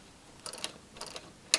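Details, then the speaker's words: Paraffin heater wick dial turned with the fuel-container lever held down: quick bursts of sharp light clicks, then one louder snap as the return spring pulls the dial back; ratchet working normally. "you can hear it clicking and behind this wheel there is a spring which helps the dial return back to its original position"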